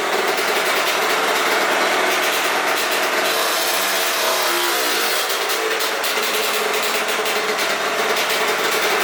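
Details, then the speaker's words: Aprilia RS50 with YZ85 engine after clutch plate swap, two-stroke: fine at idle, revs climb then go rough and break up as throttle comes on; bogs under load; owner suspects tuning. "all right so in that clip the bike sounds super healthy at idle but as soon as you really get onto it you can kind of hear that like that like really takes over as soon as you start to like get on the gas"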